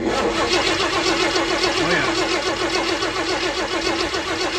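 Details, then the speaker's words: 1965 Ford F100 body on 1974 Highboy chassis, said to have a new crate 390 V8 with automatic transmission, fuel not yet hooked up; starter turns it at an even rhythm of about 3.5 beats a second, no knocks or scraping: healthy cranking while testing for spark. "I might add that this motor sounds pretty good turning over too, no weird sounds or nothing, so let's see what we got."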